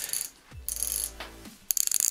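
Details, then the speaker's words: Shimano Deore 6010 rear freehub, about 2,500 km (1,500 mi), after being cleaned, greased and reassembled, spun by hand before the axle, rotor and wheel go back on: crisp, even, rapid pawl clicks with no friction or grinding, so the freehub is working normally. "clicking beautifully very very good always check it before you put the axle the this gray rotor and the wheel back on the bike just check it it should be spinning nicely no friction very evenly"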